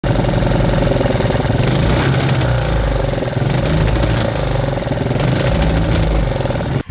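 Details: 3D-printed 125cc four-stroke single, upgraded, no more misfires, top-rpm run at 4000 rpm: screaming steady rapid firing with choppy limiter-like stutter, attributed to fixed 10° ignition timing limiting revs; normal high-rpm run.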